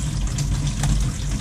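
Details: Kitchen faucet after a valve washer repair for pipe banging (water hammer) that was first mistaken for combi boiler noise: a steady low rush of running water with no bangs or knocking. The faucet is flowing normally.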